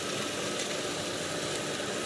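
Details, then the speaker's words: Goulds GT15 well pump (model C48C53A06, 1.5 HP, 230 V, 3450 RPM) feeding a sprinkler system and hose. It draws about 8 amps running, with a 23 A startup peak measured by clamp meter. Steady, even rush and hum: normal running. "So it's using about 8 amps of power."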